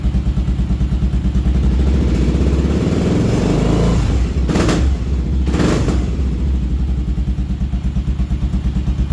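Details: Motorcycle that would not idle, after carburetor clean of brown gunk and pilot screw reset from fully closed to about two and a quarter turns, choke off: steady low thumping idle, two quick throttle blips returning cleanly to even idle; healthy running.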